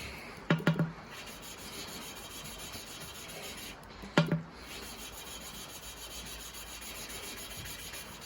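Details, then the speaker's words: 1939 Farmall A tractor engine that stood for years, valves being hand-lapped with paste: soft gritty rasp as the valve is twisted back and forth, plus handling knocks; the abrasive sound shows the paste is still cutting. "When you hear the paste lose its like abrasive noise that you hear, just pick it up, turn it a little bit, give it a bit of a tap like that, and what it does, it sucks a bit from around the edges back into the valve, just drags it in, and then you're back in again."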